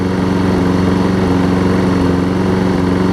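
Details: Troy Bilt self-propelled mower, Briggs & Stratton Quantum engine, after swapping the wrong auto-choke carb for a primer-bulb carb, warm: a steady, even buzz with no misses or surging. It smokes slightly, which the owner thinks comes from earlier running without an air filter. Runs properly.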